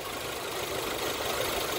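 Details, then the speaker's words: 1996 Geo Tracker idling after the old free-spinning radiator fan clutch was replaced to cure overheating at idle: even idle under a strong steady rush of fan air, no rattles; fixed, blowing twice as much air. "oh it's fixed just blowing twice as much air at idle twice as much air"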